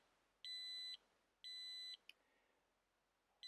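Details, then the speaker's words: FireAngel smoke alarm test after mounting on its base: three steady high-pitched beeps, one per second, clean and even but fairly quiet, didn't scare the dog; alarm sounder works. "I would say that sounds quite low, although it's working. Didn't even scare the dog."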